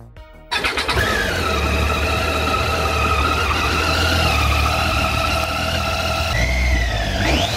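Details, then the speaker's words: Engine catches, then a clear steady whine rides over idle and climbs with a rev blip; motorcycle balancer gears whine with rpm, the same whether revving in neutral or riding loaded with a passenger. Normal balancer gear whine. "o som das engrenagens do balanceiro acompanha a rotação do motor e não muda sua intensidade com a carga da moto seja acelerando em neutro ou pilotando na rua com garupa o som emitido é o mesmo"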